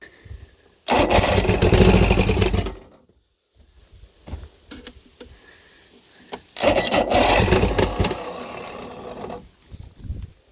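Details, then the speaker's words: Chrysler Courier boat engine during rebuild, battery hooked up, water not connected, no fuel: two roughly two-second cranking bursts with a brief catch but no run; owner plans to add fuel and tune it up. "Alright, I guess I'm gonna have to get some fuel in here and get it tuned up to run properly."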